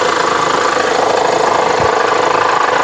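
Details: 2010 Honda Pilot 3.5 V6, recorded close to the engine at idle: busy, fast rattling chatter in the upper mids that the owner reports began; source not yet pinned down, next step removing the drive belt to see if it drops.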